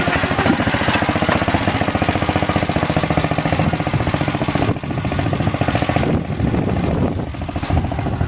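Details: Planet Jr. Model B walk-behind tractor with air cleaner and elbow refitted, driving it up the hill: steady single-cylinder popping with brief dips and pickups as the throttle moves, recovering cleanly. Governor works; normal running.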